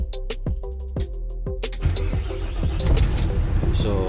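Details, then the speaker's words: Volvo D13 truck that would not crank, after the faulty fuse was replaced: the starter turns the diesel over in quick even pulses, then it catches and settles into a steady low rumble. Normal cranking and start. "So, yan na boss. So, nakita niyo ba boss na start na yung ating sasakyan."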